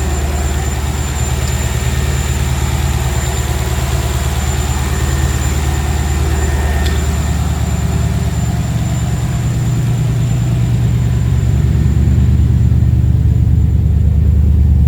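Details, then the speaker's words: Ford Capri with Mercedes M113 5.0 V8 swap on MaxxECU, about 13.8 AFR, 32 psi oil pressure: steady, even low idle burble, no stumbles or misfires; smooth, clean idle. "She's running smooth, very smooth."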